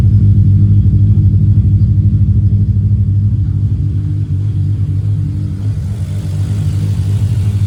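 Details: 1994 Toyota Supra MkIV J-Spec RZ, 6-speed manual, built 1251bhp engine with Precision Gen 2 turbos and a Syvecs ECU, started after sitting a while. Strong, deep note with a firm rumble as it blips and settles, revving clean and even with no misfire or knock; it free-revs healthily.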